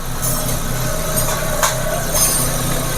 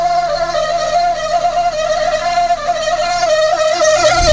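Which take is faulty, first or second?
second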